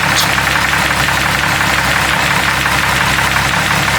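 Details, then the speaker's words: Jeep 4.0 engine idling on pure Lucas oil additive after trying oils from 0W20 up, pump running; fast light ticking about three per second, lifters still noisy regardless of oil, cause not confirmed: ticking noise. "For some reason, lifters are still noisy. Golly, that is wild."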